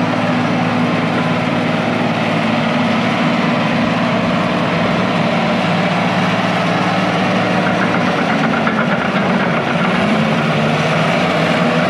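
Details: International IH 175C track loader diesel, sat a long time, freshly serviced with fluids and filters changed, first run outside the shop: deep steady rumble, even low beat, no knocks or misses; normal healthy idle.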